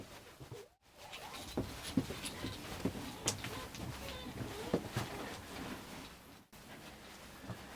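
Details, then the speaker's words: Jayco Conquest caravan, parked: faint, irregular chirpy squeaks like little birds with each footstep inside; the suspension is suspected, cause unconfirmed. "it's got to be the suspension we're not sure what it is we've tried everything sounds like C sometimes don't it sometimes it's really quiet it's it's like a really quiet it sounds like little birds going"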